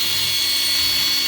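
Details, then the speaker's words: Vintage aircraft attitude-indicator gyroscope at speed, staying level when tilted: steady thin high-pitched whine with a gritty edge, "not sounding very good"; owner suspects dodgy bearings. "it stays level how cool is that oh not sounding very good though are they"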